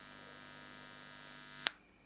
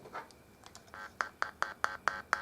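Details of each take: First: Scorpion Viper 20 guitar amplifier, heard through headphones: steady low buzz with bright edge cuts out at a click when input jack is pressed; suspected bad solder joint on socket ground at PCB; ground fault hum. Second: Scorpion Viper 20 guitar amplifier after repair, heard through headphones with volume up: clean, evenly spaced tone bursts with no hum or crackle; the amp's output works normally.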